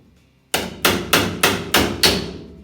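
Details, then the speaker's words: Hammer and dolly work on 1950 Chevy half-ton cab corner sheet metal, on-dolly: seven sharp, bright ringing blows about a third of a second apart, striking squarely on the dolly, contrasted with off-dolly hammering. "you hear that [Music] sharp that was hitting the dolly directly"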